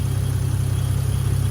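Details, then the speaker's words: 1986.5 Toyota Supra MK3, 2JZGTE VVTi swap, DIY cold-start air valve from Aristo parts: cold idle, no throttle; low even pulsing, no stumble or hunting; smooth, though idle dips when cold with AC and headlights on. "As you can see, it runs really nice and smooth. You know, I could do a remote start in this build if I wanted to, you know, and it would start reliably. It idles nice and smooth, has very smooth idle on cold starts."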